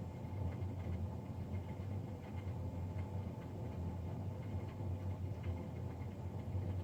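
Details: Navien NCB-240 boiler recorded Feb 3, 2020, three days after a Jan 31 service: constant deep rumbling roar staying even over several seconds; combustion fan much louder than it should be.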